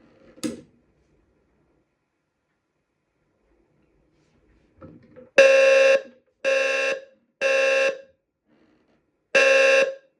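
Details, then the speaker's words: Brand-new Wheelock low-frequency sounder under test: pulsed rough, wobbly buzzing tones about half a second long with gaps, sounding like it's dying but consistent; working normally. "anyway so yeah it sounds very weird it literally sounds like it's going to die but it's really not so yeah not the best load frequency Sounder but I guess the job done"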